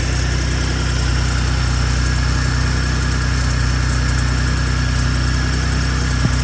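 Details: Gen2 Ford Raptor cold start at about 53°F after sitting two days: a light metallic rattle over a steady idle, louder than before; suspected cam phasers or turbo actuators, not confirmed.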